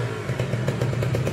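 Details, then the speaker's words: Kawasaki Ninja SS two-stroke motorcycle, restored after three days submerged in flood, previously noisy: quick even beat with steady low drone, no knocks or rattles; engine runs smooth and clean after restoration. "halus banget ya bosku"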